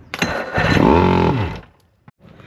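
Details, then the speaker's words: 1974 Thunderbird T190 boat engine after ignition rebuild, carbs sticky and dry, fully open with ether sprayed in: ragged firing for about a second then dies; runs only on starting fluid, owner suspects carbs lacking fuel. "definitely sounds like it's firing up which is cool um obviously it only seems to want to run on ether is probably a function of the fact the carbs are kind of sticky and and have no fuel in them"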